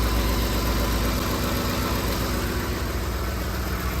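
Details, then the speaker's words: 2010 Ford F-150 5.4L 3V Triton after roller follower repair, valve cover resealed: smooth even low idle rumble with no valvetrain ticking; normal idle, though an exhaust manifold leak on one side remains. "Everything's back together, nice and dry. Let's see how she sounds. Much better already."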